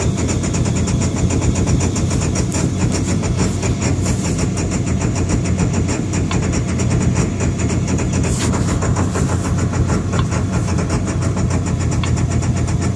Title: Rough idle2